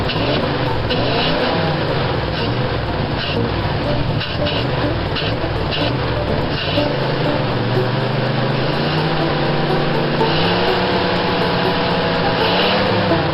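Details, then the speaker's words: 1955 Ford on a road test after the carburetor was cleaned, a new inline fuel filter fitted and the glass bowl cleaned: the engine pulls steadily through the revs with no cutting out; it still sounded a little rough at startup, and the points are suspected. "okay let's take it for a spin thank you I didn't hear her cut out"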